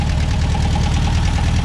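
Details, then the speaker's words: 1963 VW Beetle air-cooled flat-four after Solex 28 PICT carburetor clean, air cleaner on, just started: steady, even low putter at idle, no knocks or misses; normal idle. "so i'll show you how easy this thing starts up just like that oh boy does that fur nice"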